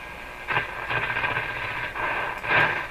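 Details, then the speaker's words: Marconi Model 295 receiver switched from phono to what is likely the AM band, volume turned down: hissy station audio swells and fades over steady background hiss; set receives stations and works. "One band over. Well, that certainly sounds like it's working."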